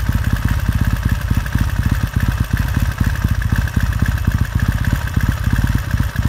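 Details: 1969 Triumph T100C after rebuild, started cold on one kick: even, steady low beat with crisp regular exhaust pulses and slight blips while warming; clean, normal healthy warm-up idle.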